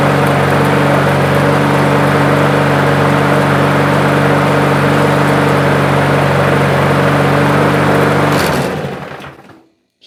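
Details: Toro push mower with plastic carburetor that started then died after 10 seconds, after cleaning carb jets and emulsion tube ports, no blade fitted yet: smooth steady hum at constant speed, no surging or stumbling, then winds down and stops; normal running.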